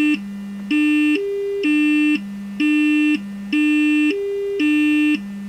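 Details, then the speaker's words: Samsung UA40D6000 40-inch TV speaker driven with stepped test tones: low and high steps clean, but about 230 to 330 Hz, worst near 300 Hz, buzzes with a rattling cone; blown speaker. "so about 2 30 to 3 30 are rattling a little bit on this speaker"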